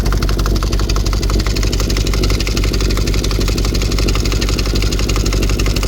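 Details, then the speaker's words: VW Touareg 4.2 V8, after a hard off-road trail session in snow and ice: loud, harsh metallic rattle hammering at idle as loose internal parts have burst through the engine block, smoking from below, oil present but coolant constantly dripping out; internal engine failure, holed block. "It does start, it does run, it does trying to drive, but there's obviously something rattling about inside. It's burst through the block, there's no coolant, it's losing its coolant, that's what's dripping out all the time."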